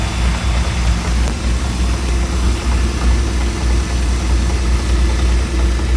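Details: Mercruiser 4.3 V6 marine engine idling with a deep steady rumble and a faint repeating knock riding on it: engine knocking at idle.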